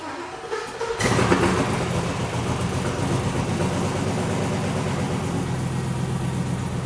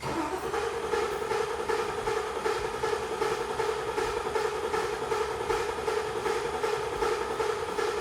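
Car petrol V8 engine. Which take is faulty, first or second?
second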